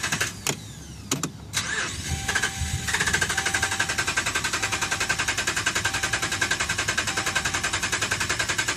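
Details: 2011 Ram at about 75K miles: after a few clicks the starter cranks steadily at about three and a half beats a second but never fires; dealer found a defective TIPM (power module), replaced under warranty.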